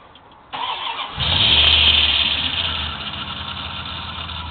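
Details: 1995 Dodge Ram van: engine cranks and catches, then a loud high squeal rides over the idle and eases slightly; a cheap belt not seating properly, still squealing after one dose of belt dressing.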